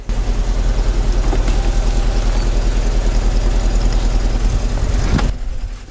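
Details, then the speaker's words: 2004 Audi A4 B6 after sitting three years, first start after a jump on a very dead battery: low uneven chuffing, lumpy idle about three pulses a second, running rough; owner suspects old gas in the tank. "give it doesn't sound good but it's running [Music] I don't know how old the gas is that's in that tank so that's uh not helping this at all"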